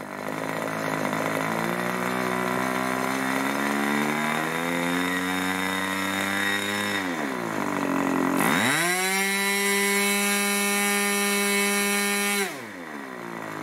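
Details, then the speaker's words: 1980s Irvine 40 MkII ABC Schnuerle-ported glow engine, twin-needle carb, 10x6 prop, 7% nitro 20% oil fuel, after leaning out rich needle: high clean buzz holding steady just over 2,500 rpm, dipping and recovering evenly; runs smooth. "seems to hold a really nice article just over two and a half thousand rpm"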